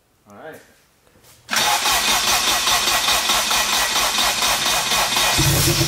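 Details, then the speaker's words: Honda Integra with swapped K20 engine and AWD, first start-up after fixing fuel-system leaks (fuel pump O-rings replaced): quiet cranking, catches at once, settles into a loud but steady, even idle with no misfire or knock; normal start and idle. "it's really not that loud it's loud but not that bad it sounds good"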